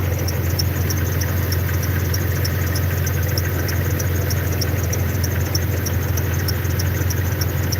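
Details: Jeep at idle, squeak heard at every start last winter; sharp high chirp about two and a half per second from the front drive; owner suspects power steering fluid, not confirmed.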